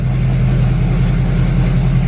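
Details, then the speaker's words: 2020 Duramax L5P just fitted with Stealth 67 turbo, first start, very cold, reduced-power and many warning messages: deep steady rumble, no turbo hiss; owner suspects turbo actuator not working; rough rumbly idle. "It sounds a lot more rumbly."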